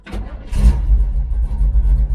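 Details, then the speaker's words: Big block GMC truck, timing unchanged, after a suspected bad wire: fires and settles into a strong, steady low rumble without misfires or pops; running properly now. "sounds decent right now yeah I remember last time we tried to take it on the CH it was a fail cuz the timing was [Music] perfect"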